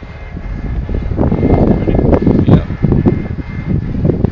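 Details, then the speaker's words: Wind turbine with tip brakes, contactor released in gusty wind so the rotor freewheels: rising whoosh as it speeds up; two of three tips deploy at 2012 RPM, then slows to 1600; no knock or rub. "now you can hear it speed up read out the RPM Ray would you there you go two blades came out 2012 RPM now it's down to 1600."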